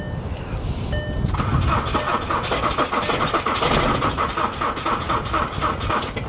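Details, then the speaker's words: Nissan Armada diesel with the glow plug light blinking on a warm day, on a booster pack reading 11.2 V: the starter drags the engine over slowly and unevenly and it never catches, with some smoke out the back; a slow-cranking no-start. "yeah it's just not sounding promising man just cranking over real slow"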